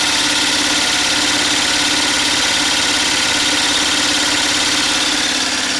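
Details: DIY 12V DC gasoline engine-alternator generator running with battery bank and inverter, used to power a whole house: steady, even engine beat around three and a half pulses per second, no misses or knocks; normal running under load.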